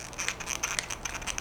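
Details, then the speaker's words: Meepo V4S ER electric skateboard, old truck rocked by hand: dry, scratchy creaking in short bursts as the worn pivot cup lets the truck grind in its seat; worn truck pivot cup. "here's the old truck that pivot cup is worn out and that's why it does this listen"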